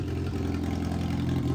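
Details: Miata engine running after pulley repair, before the session: short burst of even low rumble with a steady beat, no rattle or wobble; normal running.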